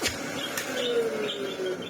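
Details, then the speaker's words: Vacuum cleaner bought at a car boot sale, switched off: pitch slides smoothly downward as the motor coasts, no scraping or rattle; a healthy, superb wind-down. "for that wind down is just superb"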